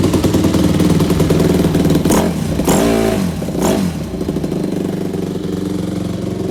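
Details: 2001 Yamaha YZ250F after all top-end gaskets and seals were replaced and the carb and pipe were refitted: crisp single-cylinder idle with sharp throttle blips that rise and drop back cleanly, settling to an even idle. Running normally.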